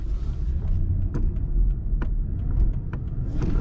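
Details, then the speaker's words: Lexus LS460 at low speed after fitting upgraded 2012–2017 front control arms: steady road rumble with only faint light ticks, no control arm clunk under braking or throttle; front suspension knocking fixed. "if you hit the brakes there's no there's no clunking there's no control arm clunking when you get on the brakes as the tsb mentioned"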